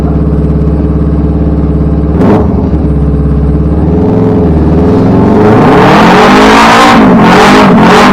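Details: Ducati 999 twin after a new battery and tightening loose battery cables and wires, following a roadside cut-out first blamed on the fuel pump or switch: steady idle, then revs climb cleanly with smooth rising pitch; running normally.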